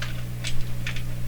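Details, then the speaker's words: Steady low mains hum with faint clicks over it, heard through the audio hookup while checking IF alignment on a Sparton 1567 tube radio. Owner says the hum is inherent in his hookup and not the radio, exact cause unknown. "a honey sound system here so those hums are inherent in my my hookup here attack let's do this still humming tape so I don't know exactly what's causing the home but it's not the radio here"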